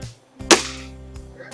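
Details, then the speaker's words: Beeman R10 / HW85 spring-piston air rifle after installing an ARH Hornet tune kit; two crisp short shots with quick clean decay, no buzz or vibration, fast smooth shot cycle; normal shot cycle. "This gun sounds beautiful now. No buzz, no vibration, fast shot cycle, really, really sweet."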